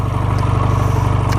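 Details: Cold start of a 2009 Honda Rebel 250 small twin, run without choke: an even, steady low thump at idle with no knocks or misses. The bike is running healthy at a normal idle.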